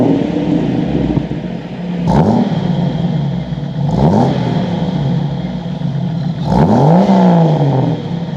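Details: Jeep YJ rock crawler buggy, 4.0L straight six, new custom stainless side-exit exhaust wrapped in DEI exhaust wrap: three clean throttle blips over steady deep idle, pitch rising and falling smoothly; normal exhaust note.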